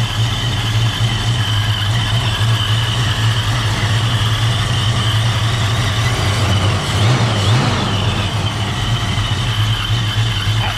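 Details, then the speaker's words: 1987 Ford Mustang LX 5.0 V8 automatic, Vortech A-Trim supercharged, converted to speed density: loud, low, lumpy idle that hunts and never settles; owner hears a vacuum leak, suspects a missing supercharger part and says it needs an idle set; rough idle. "hear some vacuum but we'll figure it out it could be a supercharged charge fight being missing dude it needs an idle set"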